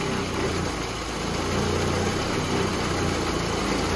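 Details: 1988 VW Mk1 Cabriolet with Bosch CIS fuel injection, idling cold: an uneven, lumpy beat that smooths and rises slightly when a loose ground connection makes contact and roughens again when it is removed.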